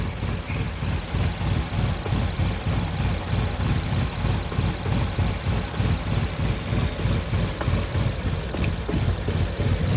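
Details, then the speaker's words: 2015 Infiniti QX60 rough idle, ignition coils of cylinders 2 then 4 unplugged: low, lumpy idle with uneven pulses about three a second, one cylinder's ignition disabled. "Take off coil of cylinder 2. Take off coil of cylinder number 4."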